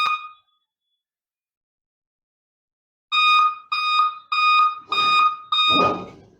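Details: Dell laptop at start-up: a single beep, then after a pause five evenly spaced beeps of the same steady tone, a diagnostic beep code; the cause is not identified and the keyboard and power switch are removed to investigate.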